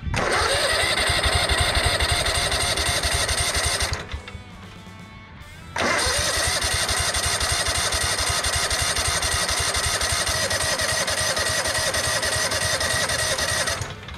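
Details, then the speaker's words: Yazoo Kees 42-in zero-turn mower with Kawasaki engine, after switching to the right fuel tank (sludge, possibly water, from the tanks): even cranking about four beats a second, no firing; not getting fuel, owner suspects fuel filter or plugged line. "we're not getting any fuel I wonder if I need to swap out my fuel filter now unless my fuel line got plugged again"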